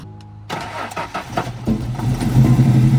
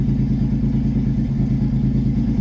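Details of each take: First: Budget drift car, after a spark plug change: cranks and catches, then runs lumpy with an uneven, stumbling idle; misfire from a vacuum leak caused by a fully disconnected hose. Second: $900 V6 drift car with new header and exhaust, untuned, after refitting intake and vacuum fixes: steady, low, even idle around 1,000 rpm, no hunting or stumble; idling smoothly.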